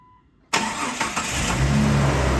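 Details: 2001 Jeep Cherokee XJ Sport, 4.0L inline six, automatic, 73k miles, start-up: quick crank, catches within a second and settles into a smooth, even idle with no misses or ticking; runs great, good oil pressure, no overheating.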